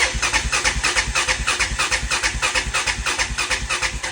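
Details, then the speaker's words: 1999 Honda Foreman 450S ATV with new aftermarket carburetor and stale fuel on reserve; steady fast starter churning about three beats a second with no firing, cranks forever; no spark, fuel or low compression suspected. "it'll just crank forever."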